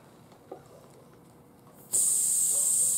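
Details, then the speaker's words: Tire just after pulling a small nail out, before plugging with a tire repair kit: after a quiet pause, a sudden steady high hiss of air escaping through the nail hole. "And there, just that little nail was enough to do it. And it's gonna, you can hear the air coming out of it."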